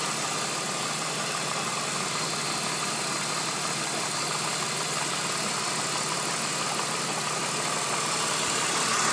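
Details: BMW E46 at idle: light, fast, even clatter over the engine note, confirmed as a defective water pump; water pump bearing clatter.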